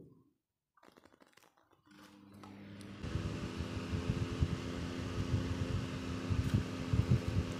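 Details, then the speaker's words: Electric fan that sounded rough, running after lubricant was applied to its axle and it was reassembled: a smooth low hum with no scraping or rough rumble. The rough sound is gone and the fan runs normally. "Maintenant, le son du ventilateur n'est plus rugueux . Nous mettons simplement du lubrifiant sur l' essieu et après cela, le ventilateur revient à la normale"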